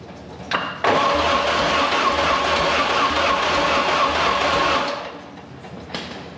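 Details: Mercruiser 3.0L that was seized, with the starter beaten free, reassembled and cranked: steady spinning with even ticking for about four seconds but it never catches. The owner suspects no spark because the points need cleaning.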